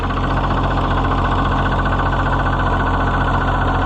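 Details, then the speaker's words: Oliver 77 tractor, first cold run after reassembly: a rhythmic hammering, about three or four beats a second, over the idle. The owner wonders about the hydraulic pump, but it stops when the clutch is pressed. Cause unconfirmed. "oh I hear all kinds of new noises I didn't hear before like a hammering in the"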